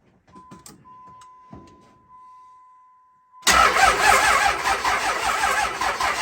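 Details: Diesel truck with 6.7 Cummins swapped in place of 5.9, bigger injectors, big turbo, first start around 1 a.m. after cranking for oil pressure: short beep, then uneven, lumpy idle; one dead cylinder from a bad injector.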